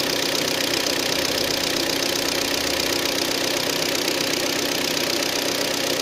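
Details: Hyundai ix35 G4KD engine, 66,000 km, cold after 12 hours standing outdoors: a steady idle with a regular tapping knock about three a second; piston slap from scoring in cylinders 2, 3 and 4.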